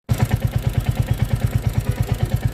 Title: Royal Enfield Engine Sound Problem #royalenfield #motorcycle #bike #motorbike #bikeaccesories